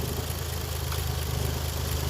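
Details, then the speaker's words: Toyota JZX110, warm idle at just over 500 rpm, rough cold starts: very low deep, slightly uneven throb with faint wavering; idle drops too far when hot. "we've got about just over 500 rpm so she's warmed up and dropped the RPM"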